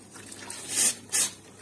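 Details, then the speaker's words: Combi boiler heating radiator being bled after topping pressure to 2 bar: two short sharp hisses of escaping air as the bleed valve opens; trapped air in radiator, purged until water flows steadily. "If you hear such a sound, know that it is inside. The air is coming out ."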